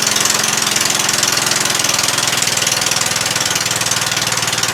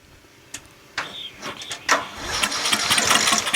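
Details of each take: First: Murray 14.5 42-inch lawn tractor after a cleaned gas tank, new battery and reconnected fuel line: fast, even patter holding steady speed with no misses, no smoke, no leaks; normal running. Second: Murray 14.5 42-inch lawn tractor, battery charged only about five minutes, starting fluid sprayed in and choke used: a few slow cranks, then a ragged one-to-two-second roaring catch without settling; has compression and cranks better.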